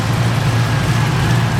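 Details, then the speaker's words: 1969 Camaro idling after a header gasket swap: steady, even low rumble with no ticking on this bank, which seals well and is super quiet; the other side still has a slight exhaust tick. "This side is super quiet. That's perfect."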